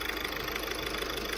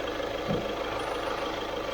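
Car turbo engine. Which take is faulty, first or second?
second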